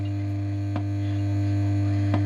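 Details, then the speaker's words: Pilot radio: strong, steady, unchanging low mains hum from the power supply with a couple of faint clicks; owner suspects an open-circuit reservoir capacitor, unconfirmed. "now it sounds like the reservoir cap is open circuit but"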